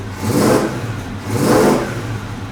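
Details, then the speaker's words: 1970 Oldsmobile Cutlass, Olds 350 V8 with a 200-4R, revived after sitting since 2005: two clean throttle blips that rise smoothly and settle back, with no misses or knocks; healthy. "Listen to the motor, though. Listen to this. How's that sound? Sounds good?"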